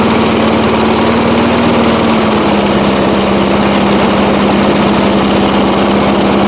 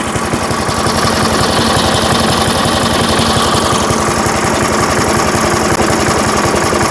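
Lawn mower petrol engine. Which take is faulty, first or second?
second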